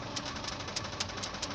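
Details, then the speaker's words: 2005 Toyota 4Runner 4.0 L, recently rebuilt, warm idle: sharp regular ticking rattle, absent cold, louder as engine heats, mainly bank 2; slack stretched timing chain with auto tensioner piston fully extended, cam chains to be replaced. "But as the engine gets heated up, you tend to hear the noise coming up. So I'm going to replace the timing chain for the camshaft intake and exhaust part of either banks."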